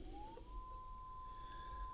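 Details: Oriental Motor gear motor on a Safe Conveyor direct drive, after a gear head swap: a thin whine climbs in pitch for half a second, then holds steady and even; the motor runs normally.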